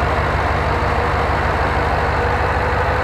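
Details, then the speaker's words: LS-LT swapped Jeep JK with an ECM-controlled Camaro SS fan, idling with AC on. Steady, even low rumble with no dip or surge as the compressor cycles, and the fan follows AC pressure. Idle holds rock-solid: normal idle. "you will notice how rock-solid is idle is you can't even tell when the compressor engages and disengages you can also hear the fan following along with AC pressure"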